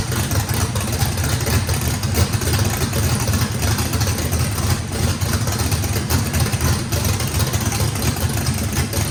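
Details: Brand-new drag-race motor with a radical camshaft, first fire-up, deep loping idle with choppy beat from heavy overlap, steady and clean, no blow-by. Lobe separation needed lots of throttle, blade about six percent open; normal lopey idle.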